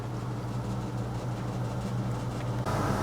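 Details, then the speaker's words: Maytag Neptune top-load washer after clutch repair/replacement for UL unbalanced-load errors: spin cycle at about 18 minutes left runs with a steady low hum, no grinding, water pump rushing near the end; normal spin. "we're down to 18 minutes as you can hear it's running pretty smoothly I think it's pumping some water out now yeah it's pumping the water out you see it and it's smooth sailing"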